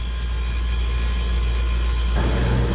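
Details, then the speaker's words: 30-year-old water-cooled walk-in cooler, down perhaps 2-3 weeks with the box at room temperature. Compressor runs with a deep, steady, even hum and no knocking or rattling, drawing 6 amps with the sight glass full; healthy. "But she's drawing good amperage. 6 amps, sight glass is still full. This is really good news for the customer."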